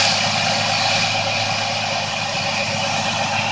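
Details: Jeep Liberty 3.7 after replacing fried spark plugs and coils to fix a rough idle: a steady, even idle with no stumble or shake. The idle is normal.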